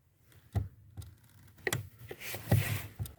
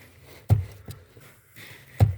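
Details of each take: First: 1992 VW Passat B3: dry crunching clicks inside the cabin on each clutch pedal press, intermittent and fading on repeat presses; source suspected at the spring and bolt mount on the pedal block, addressed by fitting a tape-wrapped coin at that spot. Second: 1992 VW Passat B3 clutch pedal, crunch traced to the spring and bolt mount at the pedal box: with a tape-wrapped coin wedged between the steering column and pedal assembly, only dull thumps and no crunch are heard. This is a temporary fix. Quiet clutch pedal.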